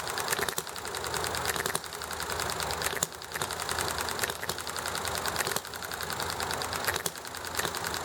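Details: Enjomor hit-and-miss engine running nicely, with highway traffic and chatting in the background: sharp firing pop about every second, clicking coast-down between fires; even, healthy, normal hit-and-miss cycle.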